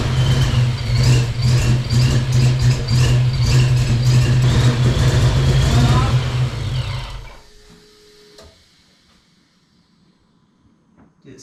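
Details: Ford Mustang project car after full fuel system renewal, ignition timing varied 5–15 degrees around 10: lumpy, uneven idle stumbling about twice a second before shutting off; suspected misfire, plugs to be checked.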